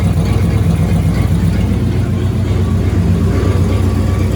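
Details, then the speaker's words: Rebuilt 1965 Cadillac Coupe DeVille V8 idling after 10-15 minutes of warm-up and a short test drive: deep low idle with uneven stumble, about four lumpy beats a second, engine visibly shaking; owner unsure if misfire, plans to check spark plug gaps. "She has a bit of a stumble. You can kind of see it shaking. Try this. Yeah, you can see it shaking a little bit. I need to figure out if that's a misfire or what that is."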